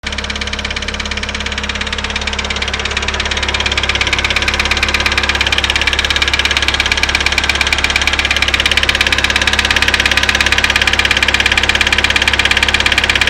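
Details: Daewoo Lanos engine: sharp, very even ticking knock about three per second over a steady idle; owner suspects hydraulic lifters, cause not confirmed.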